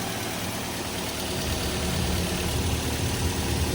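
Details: Twin Z petrol engine after overhaul for heavy oil burning (oil-fouled plugs), broken in: smooth, even idle with a low steady thrum, no knock or rattle; quiet and healthy.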